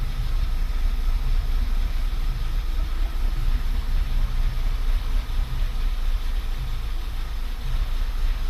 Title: pulse pressure sensor watching misfires 💪